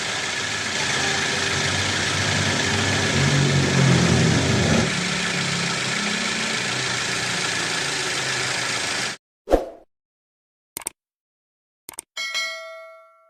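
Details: Toyota Avanza 2010 engine after repairing the damaged crankshaft pulley (rubber damper worn, causing rubbing noise at front of engine) and replacing the seal: engine starts and settles into a smooth, even idle with no rubbing or knocking, then shuts off cleanly; normal running.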